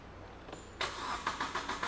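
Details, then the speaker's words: Car with the check-engine light on cranks in steady pulses, about seven a second, with one sensor connector deliberately unplugged but never fires; it cranks and won't run, and the fault needs a computer scan. "Bukan tak boleh start, dia tak boleh hidup. Dia dua perkara yang berbeza."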